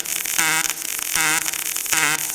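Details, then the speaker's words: Kemppi X5 pulse MIG welding 6 mm plates overhead (PD position) at about 100–105 A with C18 gas, torch at about 45°: steady crackling arc with a buzzing swell repeating under a second apart and no sputter. Normal pulsed weld. "Pogledajte kako to Kempi radi lagano, bez ikakvih problema. A za zavarivača laganica."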